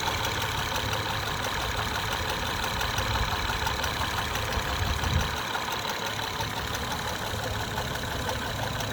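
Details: 2011 Acura TL 3.7 SH-AWD at warm idle after driving up to temperature: a faint, light tapping over the steady engine note, softer than when cold. The noise began a couple of days ago and the dealership could not determine its source.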